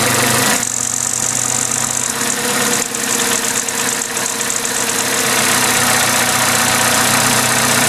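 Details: Vauxhall/Opel A14XER 1.4 L petrol inline-four at start-up: fast metallic chatter over the idle that never settles. A garage called it normal, but two weeks later the timing chain jumped a tooth and the engine ran rough. Timing chain rattle, new chain being fitted.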